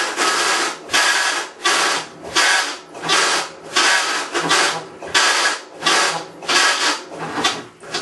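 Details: Maytag Centennial Commercial Technology washer, about 14 months old, overloaded for demo, agitating rinse water, recorded ~5 feet away: harsh rasping grind surges with every agitator stroke, ~40 a minute; grinding in agitation drive, cause unconfirmed.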